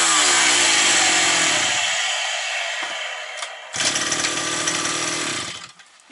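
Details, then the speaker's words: Likely 52cc petrol brush cutter that started then stalled, probably after sitting over winter. After cleaning, before the air filter is refitted, the bright buzzy two-stroke dips and picks back up without dying, holding idle well. "зараз диркнем чи завели прекрасно диться як гарно тримає на мали"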